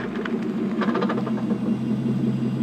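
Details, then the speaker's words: Porsche 928S automatic, cold, idling about 1 minute after 4 hours off, in reverse only: rapid ratcheting chatter like a roller coaster chain lift, absent when warm; transmission failed about 8 months later and was replaced. "To me, it sounds similar to, well, a roller coaster going up a chain lift."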